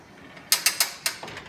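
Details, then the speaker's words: Drainvac VacReel central-vacuum hose reel: four sharp crisp clicks about a sixth of a second apart, then fainter ones, as the hose is pulled out; normal ratchet assembly that locks the hose when released. "when you're pulling the hose out you'll hear a clicking sound that's the ratchet assembly that locks the hope for that and you hear it click"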